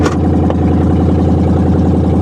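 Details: Pontiac G8 GT V8 at salvage auction, tuned, exhaust cut off: loud raw unmuffled idle with deep bark and a sharp throttle blip; raw fuel smell noted, open exhaust with no muffler.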